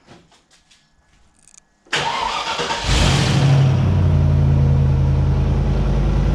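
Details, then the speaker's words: Land Rover first start-up after engine rebuild: brief crank, catches and settles into steady even idle with no knocking or tapping; engine running smoothly. "no knocking no nothing run sweet um"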